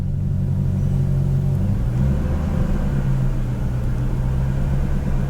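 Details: BMW E39 540i 4.4 V8 after fixing low-rpm surging: a deep, even rumble at light throttle with only a slight rise and fall, no real hunting. The engine is not yet fully up to temperature, so idle is still slightly high.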